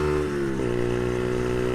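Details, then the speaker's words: Brixton Felsberg 125 motorcycle accelerating in first gear through a small bend: engine screams to a high buzz, then holds and stutters on the rev limiter, a little over 10,000 rpm, forcing a shift before the turn ends; short first gear. "but you hear the bike go into its rev limiter. It has a rev limiter about a little bit over 10,000."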